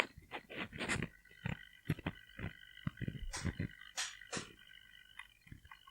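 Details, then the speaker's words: Sigma 30mm F1.4 Contemporary lens on a Sony a5000, microphone placed by the lens: short bursts of high buzzing and clicking as autofocus hunts, loud enough to need external audio for video; noisy autofocus motor. "but it's so so so noisy that if I want to use for video making I need to use external see like this external audio recording"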